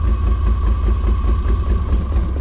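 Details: 1989 BMW 535i E34 with an M30B35 inline-six, with the exhaust cut off. A low, uneven chugging idle that lurches and sags and wants to die. Misfire from faulty spark plugs.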